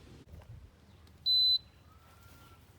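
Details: Older Frigidaire LAD254NTL automatic dehumidifier, about a decade old, just cleaned and reassembled: a single clean high beep of about a third of a second over a quiet room. This is the normal power-up signal.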